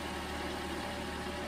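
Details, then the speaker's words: 2011 Toyota Camry 2.5L four-cylinder after an engine replacement, first start: smooth, even idle with a steady low hum, no knocks, ticks or misses; runs healthy. "sounds good that's always nice when uh starts first try usually there's something wrong"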